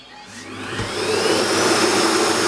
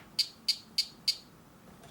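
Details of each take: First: Vorwerk VK-140 Folletto vacuum switched reluctance motor after replacing the faulty driver: spins up to a steady high-pitched rush, holds smoothly, winds down; works normally. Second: Vorwerk VK-140 Folletto vacuum's switched reluctance motor, driver board with damaged low/high side driver: four sharp high clicks, then faint ticks, no spin-up; motor tries but fails to start, motor spins freely by hand.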